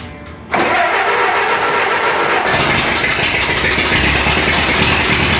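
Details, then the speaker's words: Abandoned rescued Ford Model T started on regular gasoline before a moonshine trial: catches quickly and settles into a steady, even, slightly rough-edged run with no knocks; normal start and run. "All right, that was regular gasoline."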